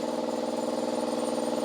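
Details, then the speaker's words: Stored air compressor after its underside drain valve leak was found: steady even chugging hum with a fast regular pulse about twenty beats a second, no knocks or rattles; running normally. "all right let's turn it on again and see if it there you go seems to be um working normally"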